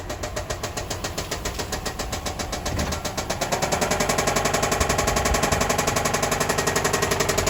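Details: 2005 Subaru Outback XT on a short drive: a sharp, steady metallic knock, almost four per second, holding as it pulls away; described as rod knock.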